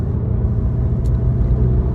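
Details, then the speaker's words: Mk7 Golf GTI, about a year old, stock exhaust, sport mode (noisiest setting): deep, even exhaust rumble with no misses, pops or rattles, still muted and unremarkable even higher in the rev range; normal exhaust note. "Even when it's higher up in the rev range, it just doesn't sound very special."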